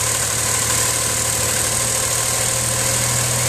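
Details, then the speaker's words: Geo Metro engine already warmed up before a compression test, air cleaner housing removed; even, steady idle with no knocks, ticks or misses; normal warm idle. "then you're going to want to start up and warm your car up this car's already been warmed up"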